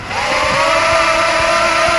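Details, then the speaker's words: Zip Nano 2.0 Propel drone after replacing a failing motor, damaged by running while unable to spin freely, with one from a donor drone: smooth, high, even buzz of motors that spin up quickly and hold steady; all healthy. "okay they're all spinning nicely that's good let's turn it on and do one more test see if it's gonna spin nicely"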